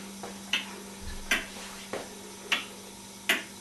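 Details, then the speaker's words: Homemade aluminium pendulum clock with brass escapement wheel, standing on a table unadjusted: crisp, even ticks about once a second; escapement running fine. "you can hear by the ticking it's quite even, although I've just again stood it on the top of this table."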